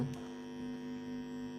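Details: Tone control MD221 kit in an acrylic box, sent in for no sound: with power at 12 o'clock, a steady electrical hum with a buzzy edge comes through; touching the input brings no response. Suspected loose wiring, poor grounding, or a kit fault.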